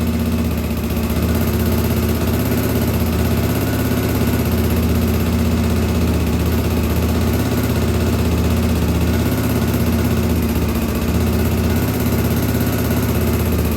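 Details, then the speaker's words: 1983 Honda XL600R after top-end rebuild (1mm overbore, Wiseco 11:1, Megacycle stage one cam, heavy-duty springs), warm restart after running a while; customer's earlier complaint was no hot restart: fires straight up, steady low thump with even throttle blips; normal. "I ran it for a while and then while it was warm I turned the camera back on jumped on it and it started right back up so that is a good sign"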